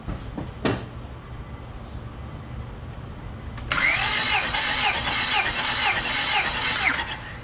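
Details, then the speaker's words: Compression test with gauge, cranking five revolutions: starter spins steadily with even, regular compression pulses, reading about 50-75 psi first stroke to 200 psi by the fifth; healthy cranking. "Set the gauge up so we can see it. And we're gonna go ahead and crank it 5 revolutions."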